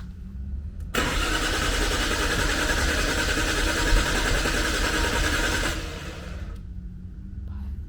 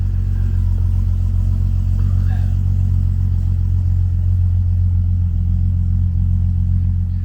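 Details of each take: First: Nissan Skyline GTR R33 RB26 with a newly installed FuelTech ECU; starter cranks steadily about four turns a second for five seconds, never catches, RPM signal present but no fuel pump hum; no start, fuel pump not running. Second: Nissan Skyline GTR R33 RB26 running on a newly installed FuelTech ECU, timing calibrated; deep, steady, even idle rumble with no misses, hunting or surges, running very smooth; normal idle.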